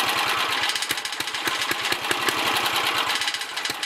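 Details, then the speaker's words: 1964 Sears Suburban 600 single-cylinder engine running after revival, despite a leaking sediment bowl (likely needs a new gasket). Steady putter with slightly irregular firing and a rattly top end, smoothing out somewhat. Still a bit rough; the carburetor probably needs cleaning and adjustment. "little Sissy Blue runs again. It kind of sounds like she's straightening out a little bit."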